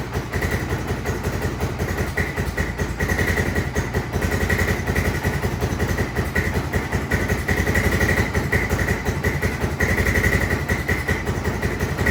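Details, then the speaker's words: 1996 Honda FourTrax 300EX ATV, original carb rebuilt and reinstalled after a no-start: the single ticks over with a quick, fairly even beat and some roughness; idle sits noticeably high and needs turning down. "So, it is idling, but we need to turn that idle down a little bit,"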